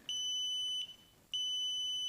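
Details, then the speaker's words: Sub-Zero refrigerator repair, clicking compressor: the multimeter gives two steady high-pitched beeps of about 0.75 seconds each while its probes are touched together to show the continuity signal. "beeps, and you know there's continuity there."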